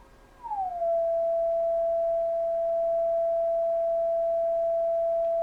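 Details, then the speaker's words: Kenwood TS-520 HF transceiver after power cord replacement, receive check: clean steady calibrator marker tone near 700 Hz after a brief tuning sweep, near zero-beat on lower and upper sideband; marker working normally. "Go to upper sideband, and it's just a tick off. So it's pretty close. So let's, sounds like the marker's working."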